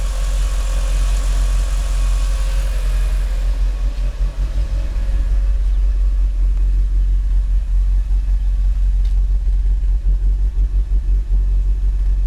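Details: Mitsubishi Evo IX MR with flashed ECU: deep idle that surges and sags unevenly, shaky in the car, for months. It dips to about 400 rpm after high-rpm lift-off and hunts between 500 and 800 rpm. New spark plugs didn't fix it, no vacuum leaks found, and it runs fine off idle. Rough idle.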